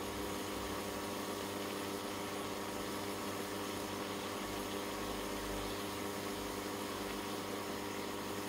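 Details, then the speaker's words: Ferroli double induction hob, modified cooling fan running at full speed, temperature reading about 77–80 °C. Constant, quiet whirring hum with no speed change. Cooling is much improved over before. "Đấy là mình đã can thiệp ch quạt nó chạy mắc tốc độ nhá Cái này nó thực chất nó đã cải thiện rất nhiều soong với trước đây rồi"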